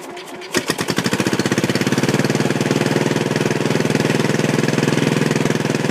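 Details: Old Sears Suburban tractor with home-built propane conversion, gas fine-tuned by valve after purging: cranks, catches within a second, then settles into a steady even chuffing beat with no misfires; runs well though slightly smoky.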